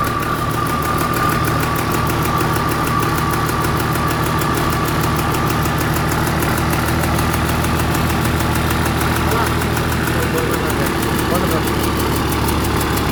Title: Start dossan excavator engine after overhaul #Dossan#heavyequipment #bulldozerofficial #excavator